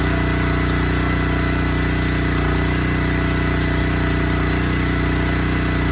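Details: Honda GX160 single-cylinder on Splitfire wood splitter, previously bogging when splitting, after carburetor clean and oil top-up, choke half on: steady even putter about three beats a second, unbroken, no stumbling; sounds fine, normal idle.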